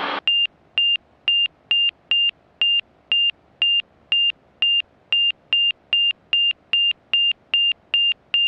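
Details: Montaer MC 01 all-metal light sport aircraft in no-flap slow flight at about 54–55 knots indicated with a tailwind; steady high-pitched beeps about two per second; angle-of-attack alert warning of low airspeed near stall.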